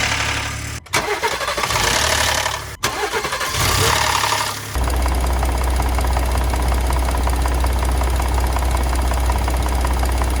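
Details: 2020 Ford Expedition Platinum cold start: harsh metallic clatter for the first few seconds, then even idle; VCT cam phaser rattle, and the dealer found a Technical Service Bulletin requiring all four phasers to be replaced.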